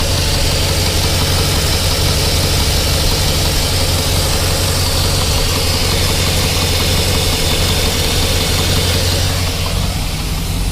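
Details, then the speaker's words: GMC Yukon Denali 6.2L LS V8 after pulling heads and replacing the failed cheap eBay lifters: deep, steady idle, even rumble, no ticking or chatter; lifters now quiet and healthy. "there's oil coming out of every single the engine sounds great there's no chattering this will lift their tank there's nothing"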